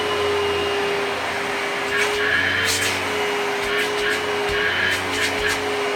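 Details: Simplicity 6570 upright vacuum, Tacony-made design, secondhand and long-lasting, pushed over carpet: smooth, steady mid-pitched motor hum that holds even under use; a pleasant-sounding healthy motor, though perhaps less powerful.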